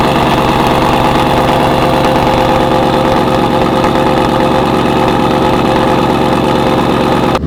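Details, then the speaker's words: Roush-platform V8 with Jokers Performance throttle body, cold warm-up at 55°F: lumpy loud cammed idle holding steady without stumbling or dying; stock throttle body had caused stalling at stops. "It is the following morning. Time for a little cold start. Let's hear it."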